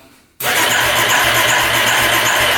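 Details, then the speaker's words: 1989 Yamaha Big Bear 350 4x4 ATV that quit suddenly a year ago and won't start: starter spins quickly and evenly, too fast for this engine, with no compression beats, never firing; suspected lack of compression. "but just cranks and it seems like it's cranking really fast for uh this type of engine I'm not hearing any compression stroke coming through"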